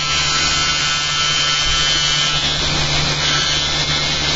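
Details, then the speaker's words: Magnet motor rig with a new eccentric bobbin and magnet holder at about 5,360 RPM and 1.01 A input: steady high-pitched buzz with a fine rattle throughout; suspected loose outer magnets in their slots, to be reversed and glued better; source unconfirmed. "I have these extra magnets on the outside, inside these slots, which have to be reset. They're all in a string, so what I'm going to do is reverse them, should quieten things down a bit."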